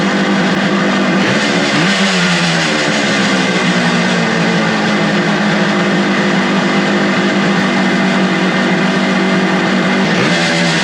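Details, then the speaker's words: Suzuki two-stroke motorcycle with non-original carburetors after cleaning and adjusting the carb screws: a steady, even idle burble at constant pitch with no misses, knocks or hunting; it runs pretty well. "When it's sitting there idling, and I can't believe it. There you have it, folks. It's a runner. She runs. It runs actually pretty darn well."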